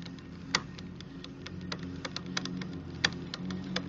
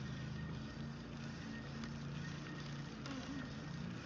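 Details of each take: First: New 2018 RadMini electric folding fat bike, rear derailleur deliberately set until noisy: uneven sharp ticks and clicks over low motor hum as chain rubs, brake pads also audible; limit screw too tight, to be backed off until clicking stops. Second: 2018 RadMini folding electric fat bike, derailleur just aligned to its gear during assembly; steady low hum from hub motor and chain while pedalling, no clicking anymore; normal drivetrain running.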